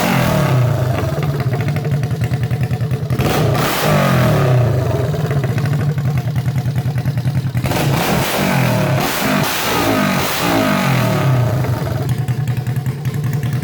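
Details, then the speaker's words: Honda CB350 basket-case twin, first start on electric start, no exhaust fitted, carbs not yet tuned; loud open-pipe twin firing evenly on both cylinders, revving up and dropping back cleanly to a steady idle. Normal idle and revving. "this was awesome the thing it's running like I swear it's running perfect it sounds really good when I get some exhaust on it I'll tune the carbs up a little bit"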